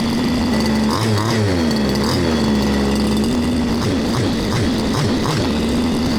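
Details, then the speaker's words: Baja 5th-scale RC small two-stroke engine (engine no. 2 of seven from Australia, age unknown), after repair with exhaust fitted, during tuning: ticks over steadily, picks up cleanly when revved and drops straight back to even idle; runs smooth and healthy. "So it runs very smooth. You can hear the thing ticking over, tick, tick, tick, tick, tick. You rev it up, whap, tick, tick, tick, tick. It just ticks over."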